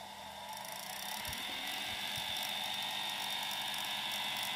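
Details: Welling 230 V AC induction dishwasher pump motor from a Galanz dishwasher on a variac, starting around 80 V after a push: spins up into a smooth, steady whir with even tones, no knocks or rubbing; normal induction motor run.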